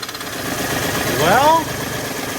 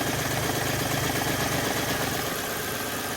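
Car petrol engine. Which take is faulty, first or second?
first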